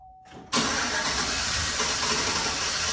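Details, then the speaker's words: 2011 GMC Sierra V8 before spark plug replacement: brief crank, catches hard and runs loud, ragged and struggling; rough running. "So it runs pretty good, but right now when we started, it's really struggling."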